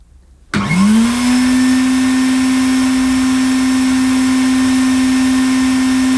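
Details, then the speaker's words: 1980 Hoover Constellation 867A floating vacuum, suppressor removed, at its first switch-on: quick rise to a steady, clean, very quiet motor whine with no rattles or surging; the hose in its mouth may alter the sound; normal running. "Well, not very dramatic, was it? Did sound, it's very quiet."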